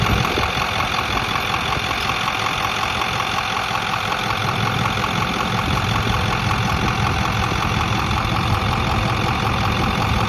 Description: Truck runs fine, the sound comes and goes when idle. Sounds like two spoons clicking.